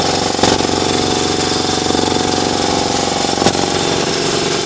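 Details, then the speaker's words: New Ingersoll Rand TS4N5 80-gallon compressor, 5 hp 230 V motor, 15.8 CFM at 90 PSI, 175 max PSI, cuts in near 140 and off at 170 PSI: quick, even pump chugging at a steady pace, no knocks or rattles, building pressure; normal running. "Yeah, there she goes. It's not too loud. I can walk out the side of my garage and barely hear it."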